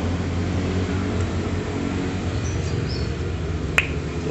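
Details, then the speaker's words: Yamaha Jupiter valve-guide pop test (bike smokes white only when warming up in the morning): valve pushed by finger, held, then pulled out gives one crisp suction pop over low hum, showing guide not loose; normal tight valve guide. "ini dorong pakai jari sampai mentok ditahan ini ditarik nah mantap bunyi ceplok itu mantap"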